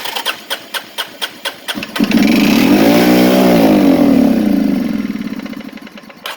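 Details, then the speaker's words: Arctic Cat 375 automatic 4x4 ATV after a starter replacement, first start in years: about eight even cranking beats, then it catches on ether, revs up, holds and drops back; fires only on starting fluid, and the starter gear may have a damaged spot. "And here goes the ether. Hey, it popped."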